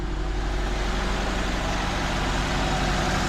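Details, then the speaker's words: 2004 Nissan Sentra at idle, engine shaking: uneven, lumpy beat of a misfiring cylinder; no misfire codes, only an air-fuel ratio sensor code (127), and unplugging coils one at a time pointed to one cylinder. "it's given me a code of 1 to 7 for air fuel ratio sensor there's the only code that is giving me and feel the car is missing"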